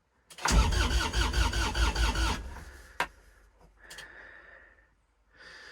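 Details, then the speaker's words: Kubota RTV900 diesel at -8°F with leftover summer fuel gelling, boosted battery, glow plug on: slow uneven cranking about two and a half beats a second, almost catching then dying; owner suspects gelled fuel forced into lines; cold crank, no start. "doesn't sound good i think i probably shouldn't have cranked it over as much while it was starting to gel because i think i actually probably forced some of the gelled stuff into the lines which is not good on my part"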